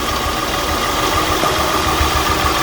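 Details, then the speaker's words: 2003 Acura TL V6 with random misfire codes P0300, P0301, P0303-P0306 and P1399, still puffing and misfiring despite brand new spark plugs: rough, uneven idle with a low stumbling pulse; cause found to be a failed ignition coil, which was replaced. "Brand new spark plugs, but it's still puffing and misfiring."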